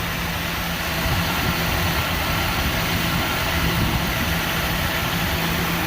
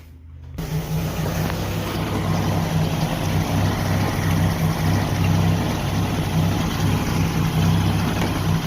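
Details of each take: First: 1988 Jeep Wrangler YJ 4.2L straight-six carbureted, automatic, at idle after timing and carburetor adjustment (vacuum about 20 inches, idle raised to about 750 rpm, timing about 21° BTDC): smooth monotone exhaust drone, no more popping or missing; normal idle. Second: 1988 Jeep Wrangler YJ 4.2L straight six, automatic, before timing and carb adjustment: a low, uneven surging idle (idle raised from about 500 rpm) with exhaust popping, attributed to over-advanced ignition and a lean carburetor.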